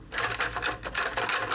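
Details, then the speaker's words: Lambretta scooter exhaust main silencer, U-bend previously hammered off after seizing: shaken by hand, quick bursts of loose metallic rattling; owner suspects loosened or broken-off baffle inside, planning to cut open and repair. "As you can hear, it's bloody loosened the baffles or something, or broken off a baffle in there."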